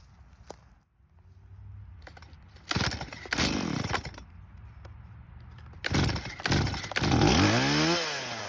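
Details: Stihl chainsaw revived after years in a barn, non-adjustable carb, idle screw turned: revs sharply in bursts and pulls through the cut with cleanly climbing pitch, no bogging or sputter; carb working, chain dull.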